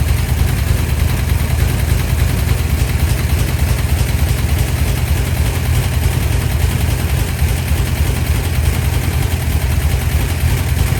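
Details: 1972 Dodge D100 V8, first start after solid roller camshaft and Speedmaster 265cc heads, pushrods and rockers installed, timing not yet set. Heavy loping low rumble with uneven stumbling beats instead of smooth idle: rough running, cause unclear.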